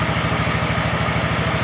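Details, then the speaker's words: 2004 Hustler zero-turn mower, previously no-spark, running on a jump pack because the battery is low: even, rapid low putter with no misses. Owner suspects a corroded ground or stuck ignition switch freed by jostling. Normal idle. "So, but honestly, you got some good troubleshooting in and started right up."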